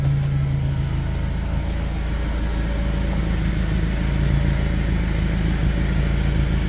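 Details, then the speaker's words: Honda K24-swapped Toyota Camry, turbo conversion with newly built exhaust, first start-up, heard from under the car at idle: faint irregular puffing tick from a leaking exhaust flange, not the welds; several flanges leaking, to be rechecked after heat cycles. "That flange is leaking. Good start, but it is actually the flange and not my welding, which is nice."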